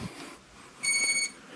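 One clean high-pitched beep of about half a second after switch-on, quiet otherwise; normal drone power-up signal.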